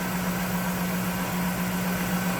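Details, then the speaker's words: 1991 Cadillac Eldorado 4.9 V8, idling with the hood open over the engine bay: smooth, even low hum and steady drone with no misses, knocks or ticks. "Look at this engine bay. How smooth that runs."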